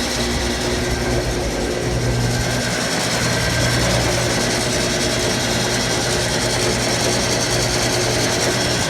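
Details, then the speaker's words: Antique early Wayne 40 gas pump, long sitting, switched on with its on-off lever: even, steady motor hum with a light mechanical patter on top, no knocks or grinding; sounds factory-fresh. Normal running. "All those years sitting, and listen to that. I mean, it sounds like it just came out of the factory. Super smooth."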